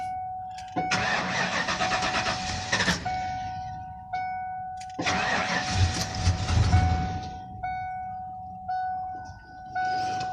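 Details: 1995 Ford F-250 with a start-and-stall problem: the engine catches twice, runs rough about two seconds each time and dies over a steady chime. Bad MAP sensor found; replacing it fixed the stalling.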